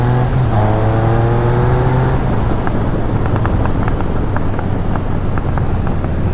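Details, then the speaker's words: 2013 Triumph Speed Triple 1050 with dealer-installed Arrow exhaust, properly tuned, on a ride; revs climb and drop with sharp irregular crackles on closed throttle, normal overrun popping owner says the bike just does. "hear that uh popping there cracking out of the exhaust little background the speed triple does that as far as i know it's just how this bike is made"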